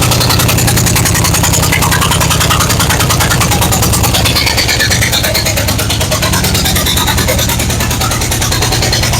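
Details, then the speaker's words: 1970 Chevy C10 with 5.7 Vortec 350 from 1998 van and 700R4: loud uneven V8 idle with sharp chuffing, one cylinder dead from a forgotten spark plug blowing out the hole, sounding like an exhaust leak. "What did I forget to put in? the spark plug. All right, that sounds like a pretty aggressive uh exhaust leak. No, it's just the engine not running on all eight cylinders when a hole essentially in it."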